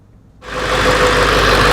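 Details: Ford F-350 7.3 Powerstroke diesel after replacing the leaking 22-year-old fuel bowl drain valve: it starts and settles into a steady, even diesel clatter with no stumble and no new leaks; a normal idle.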